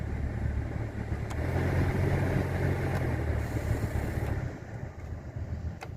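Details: 2002 Dodge Dakota HVAC blower after replacing the speed resistor, which had left it running only on high: steady low fan hum, even, no ticking or scraping; blower now runs normally on lower speed.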